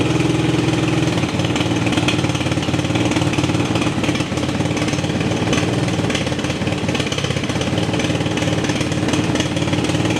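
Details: TaoTao 250cc Chinese ATV single, cold, on choke, after new CDI, coil, regulator and reseated ignition switch wiring: uneven idle with light quick ticking over the exhaust putter; owner suspects the cam, unconfirmed.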